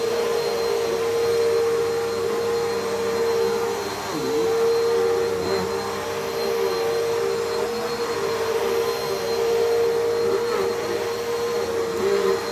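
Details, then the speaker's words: Bissell CleanView with 8 amp motor, fingertip power switch, genuine Bissell belt: steady high-pitched whine, smooth airflow, no rattle or belt slap; fairly quiet but whinier than the other CleanView, belt surprisingly not stretched, healthy. "it's actually not too loud it's actually pretty quiet but I can tell this is the 8 Amp motor because it's a lot whinier than the one in the other clean View"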